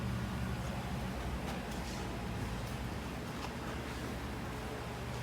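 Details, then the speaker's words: 2000 Honda Civic 1.6L SOHC 4-cylinder with P0505 and lean idle: steady, fast high idle with faint airy hiss from air leaking past the intake manifold gasket where intake meets head, found by spraying carb cleaner; gasket being replaced. "so now we're replacing the intake manifold gasket because it's letting air in causing a high idle situation"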